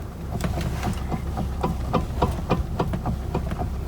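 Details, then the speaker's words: 2013 Toyota Avalon parked, after replacing the mid steering shaft: dull, uneven clunks as the wheel is turned fully right and released. Owner suspects the upper steering column or its star-washer coupler, not confirmed. "so when I go all the way to the right and then release I can feel just a little bit of a clunk and there's still that"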